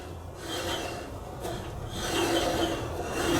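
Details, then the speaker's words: 1982 Kenmore 110.86171 dryer, about 43 years old, motor turned slowly by hand: dry, raspy squeak, owner suspects a worn motor bearing; belt idler tensioner also tight; motor, idler and drum seal later replaced. "as you can hear, it's kind of squeaking when it's turning. Yeah, there's definitely some squeaking there, isn't there? Wonder if there's a bearing in there or something that's going."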